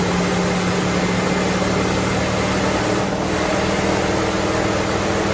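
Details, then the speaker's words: Barn-find 1969 Mustang Mach 1, 302 Ford small block, rebuilt Holley 600 carb, first start after nearly 10 years: fast, steady idle that never settles with throttle blades closed; electric choke still on holding revs up, later disabled. "Oh, the choke's on. Choke's on, ain't it? Yeah. Want me to, I'll get a screwdriver put in the choke. Yeah, because I've got the throttle blades totally closed."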